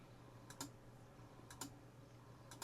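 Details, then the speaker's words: Neo Geo CD console: soft double click about once a second over a faint hum; disc spins, drive keeps seeking and never reads. Laser suspected and later replaced, cause not confirmed. "Doesn't seem to be reading. Well, on to the next problem."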